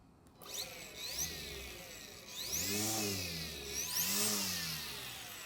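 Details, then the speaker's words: Greenworks battery electric string trimmer awaiting a new trimmer head: spins up to a high rising whine, eases off and repeats twice, no grinding; normal motor whine. "mmm well I'm not sure if you'd call that silent but maybe more of a wine than anything else"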